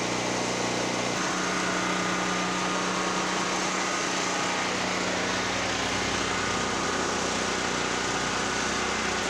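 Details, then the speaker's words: Generac GP5500 generator after a no-start repair, load-tested with a 1,500 W heater and 1,270 W heat gun; steady constant-pitch drone, no surging, popping or misfires: normal running. "Man, that thing is loud."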